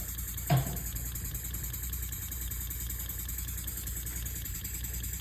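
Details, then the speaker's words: Elmer's #33 mill model steam engine on compressed air, now at about 2–5 psi: soft, even low chuffing with steady rhythm, no knocks; much quieter than before, only a slight leak at one fitting; normal running. "Oh yeah, that's much better, much quieter. It was definitely leaking a lot of air before."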